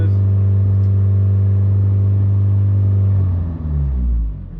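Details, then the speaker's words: Mitsubishi Evo IX, high power, at idle after misfire diagnosis and swapping injector positions, running about half an hour on a 30° cold day; deep steady even hum, no stumbles, EGTs within 30–40° of each other, running clean. "egts are all within about you know 30 or 40° of each other um they seem fine idle seems good throttle seems [Music] good everything sounds"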